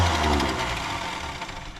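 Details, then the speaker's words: 1963 Mercury Comet, V8 260, first start attempt since about 1995, rat-infested: starter whirs freely and winds down with no engine cranking; Bendix won't engage the flywheel, starter must come off. Starter drive not engaging. "just don't quite jump in there it doesn't that Bendix ain't one to work uh we got to get that starter off"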